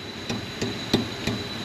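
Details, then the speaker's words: Toyota Highlander exhaust tapped after repair (loose heat shield repaired, rear muffler shield replaced, rubber hangers reinstalled): four clean dull knocks with no buzz or tinny ring; heat shield secure, no exhaust rattle. "no rattle no rattle no rattle [Music] no rattle very good guys and that's how you repair some exhaust rattles in a toyota highlander"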